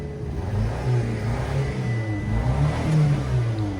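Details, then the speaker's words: Car at a Japanese auction, 88,000 km, revved: low drone wavers unevenly with occasional stumbles; sounds like a slight misfire, suspected, not confirmed. "Give it some revs. Actually, unfortunately, I thought it was way I mean, I think it is still way for the fame spec, but it sounds like a little misfire."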